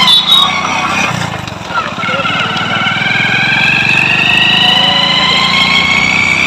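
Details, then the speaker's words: Hero HF Deluxe bike, primary gear noise: high thin whistle climbing with revs over the engine rumble, worn primary gears whining inside the engine when throttle is given; only the sound is affected, no engine damage; fix is replacing the primary gears. "आप video में आप देख सकते हो की यह इस तरह बेकार साउंड करती है"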